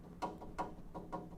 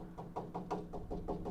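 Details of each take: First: That's the noise you want. So, this is actually in pretty good condition. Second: Hammer tapping a Dodge Charger frame rail near the leaf spring perch: quick taps about five a second, dull and low-pitched instead of ringing; lower pitch indicates rust-weakened metal.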